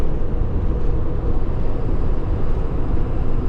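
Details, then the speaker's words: Rig after a shop said it needs a new engine; transmission now feels tight and heavy with a friction-disc smell when stopping: heavy low rumble with loose rattling and vibration while driving, heavy road noise; cause not identified. "I wish they looked over the transmission part though there's this weird vibration you hear it"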